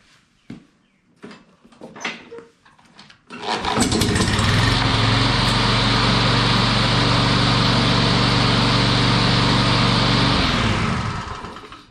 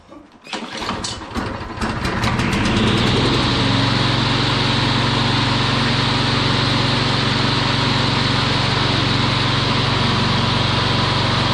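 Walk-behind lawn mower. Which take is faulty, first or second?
first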